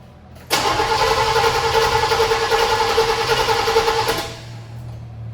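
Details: 9C1 car: a strong, even starter whir turns the engine steadily for about four seconds without catching. The car needed gas; cranking itself sounds healthy.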